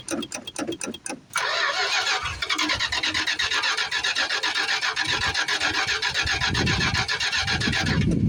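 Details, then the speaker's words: 1973 Plymouth Fury III, 360 engine swapped in after sitting engine-less 7 years; a little gas added, starter chugs about four beats a second but never catches. Owner suspects poor fuel pumping and plans to prime the float bowl. "Still can't tell. No, I don't think I'm pumping much fuel. I might have to put some air in the tank."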